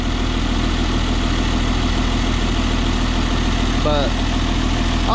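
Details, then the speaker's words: 1994 Isuzu cab-over diesel truck, sitting 3 years: after injector bleeding and fuel additive, low steady idle at an even pace with no stumble or skip; earlier skip gone, additive believed to have helped. "dumped a bunch of fuel additive in that i think that's what helped it don't sound bad at all"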